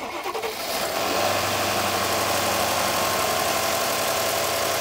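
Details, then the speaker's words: Mercedes-Benz S-class cold start, heard from the front: brief crank, engine catches cleanly and settles into a steady even fast idle with no knocks; starts well, though an odd sound from the rear is noted afterward. "завелась хорошо как здесь попереду я каких-то нюансов не слышу"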